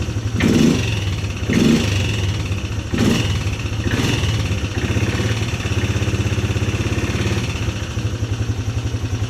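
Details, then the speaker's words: 2010 Polaris Sportsman 300 needing full maintenance: a few hard cranking bursts, then the single catches and settles into an even, steady thumping idle; normal start and idle. "so obviously right off the bat it seems you need a full maintenance on it but just so you guys can see how well this thing runs start it up for you guys"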